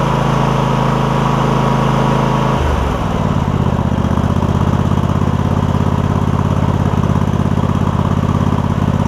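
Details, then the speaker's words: Cub Cadet GT1554 garden tractor with Kohler V-twin, after new ignition coils for a misfire, warm day, blade disengaged: steady, even low beat at fast idle, no stumbles or skipped beats; normal running. "man runs fine ran fine before but I knew that it had a misfire so I'm not going to sit there and try it as is"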